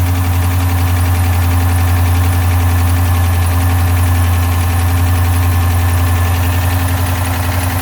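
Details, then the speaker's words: 2012 Dodge Charger 5.7 Hemi just restarted after misfire repair: loud steady idle with a quick light tick about four per second as new lifters pump up with oil, quieting down; residual fluid burning off exhaust. "there we go we are running the lifters should kind of quiet down here in a second after they fully pump up"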